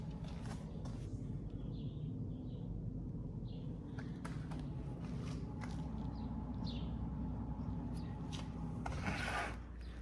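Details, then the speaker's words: Ford Focus SE (2000–2004) with rear drum brakes, rear wheel spun by hand: a low, steady, rough droning growl from a bad rear wheel bearing. The good side spins quietly. Louder inside the car. "Then go over to the bad one. And you spin it. You can hear it. Even inside the car is even worse."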